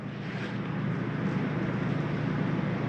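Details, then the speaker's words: 2021 Palomino Columbus 298RLC, air conditioning switched on from the indoor thermostat: low steady roar swells over the first second, then holds with a soft hum; normal AC start-up. "You turn the air on in here. There goes air. You hear that crank up."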